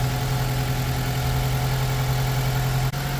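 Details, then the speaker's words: 2009 Mitsubishi Colt 1.3 L petrol idles very rough with an uneven, lumpy drone, running on three cylinders because of a misfire on cylinder four, diagnosed as a failed cylinder-four ignition coil. "As you can hear, the engine is running very rough. Basically, now it's running on three cylinders."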